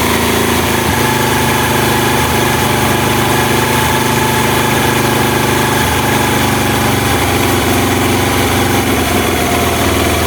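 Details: Honda Mega Pro mono single-cylinder, previously hard to start and dying at idle, after an air leak was found and the idle air screw adjusted: smooth, steady idle with an even hum and no hunting or stumbling.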